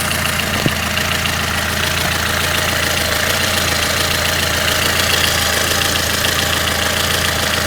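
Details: Lada Kalina engine warm at idle: light, uneven tapping about twice a second over engine hum; runs unevenly when cold, with tapping; source unknown.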